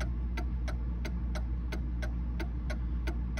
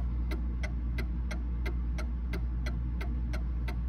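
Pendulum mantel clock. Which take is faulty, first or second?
first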